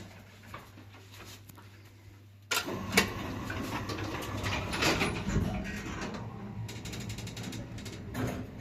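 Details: СЛЗ (Samarkand) elevator, 320 kg capacity, 0.71 m/s, AS-72 motor, after replacement of the door drive motor: faint motor hum, then doors slide with even rolling and a few soft bumps, no grinding or scraping; normal door operation.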